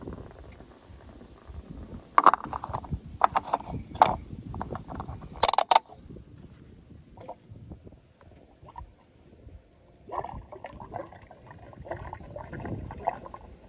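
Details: Toyota Echo fuel tank making irregular gurgling and bubbling noises, mixed with a few sharp handling clicks; cause unknown.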